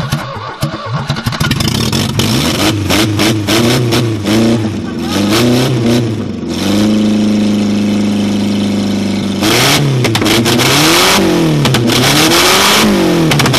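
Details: 1969 Ford Capri barn find with twin Weber carburettors, first run after revival: the engine catches, then revs up and down cleanly several times, pitch rising and falling smoothly; it runs healthy.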